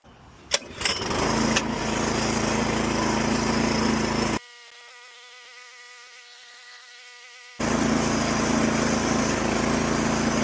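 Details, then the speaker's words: Lawn mower starting up after a new HIPA carburetor was fitted: buzzy single-cylinder drone holding a steady even speed, no surging or hunting; runs normally after the repair. "We changed out a new HIPA carburetor for him last time, and let's see if it starts up."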